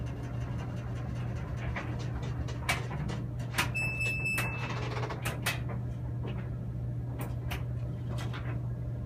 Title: Samsung Washer WF330ANB/XAA makes a loud noise after spin cycle